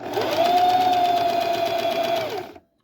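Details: Singer Heavy Duty 44S sewing machine after switching from wrong 15 bobbin to 15J and realigning the finger to the spring; even steady stitching whir, constant mid tone, clean stop, no knocking or grinding; normal sewing.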